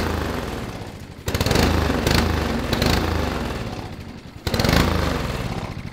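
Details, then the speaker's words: 5 hp Honda overhead cam engine on an old Murray two-seater go kart, sat for years, uncleaned carburetor: catches in loud uneven bursts, dropping off and picking up again for a few seconds each; engine runs. "so we've decided uh against trying to clean out this carburetor we know the engine runs which is awesome"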